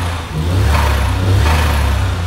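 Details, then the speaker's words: 63bhp Suzuki Cappuccino after new ECU, exhaust, spark plugs, lambda sensor and air filter; deep, even exhaust note swells with throttle blips, revving cleanly with no misses. Owner thinks changed ignition timing gives more boost. "now this cappuccino now actually sounds like it has a turbo what it to that I imagine the ignition timing means there's more exhaust gas coming through now so it's creating more boost"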